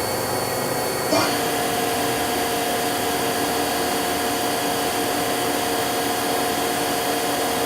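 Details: 1999 Daewoo DMV-500 vertical machining center with Mitsubishi 520 control, spindle stepped from 1000 rpm upward through the range: a clean, steady hum that steps up in pitch with no vibration or rumble. Spindle healthy.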